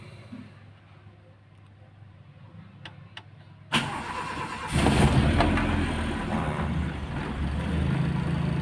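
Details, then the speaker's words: Toyota Starlet engine, cold morning start with choke pulled about a quarter: a couple of clicks, catches around 3.8 s, then settles into a raised steady fast idle near 1,000 RPM on choke; normal cold-start fast idle. "Jadi, kita tarik tuas choke sampai mencapai 1.000 RPM untuk memanaskannya."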